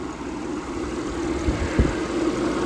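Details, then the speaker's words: 2003 Audi A6 with K&N air filter, long-stored and jump-started: low steady idle with even hum, no knocks or misses, a couple of soft handling bumps; engine sounds healthy. "everything looking pretty good under here sounds good"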